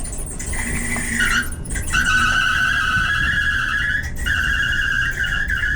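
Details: Whirlpool/Kenmore dryer before repair, making a steady high screech of around two kilohertz over the drum rumble that dips and returns; the noise was isolated to a worn idler pulley, which was replaced, and the drum rollers were cleaned and lubed.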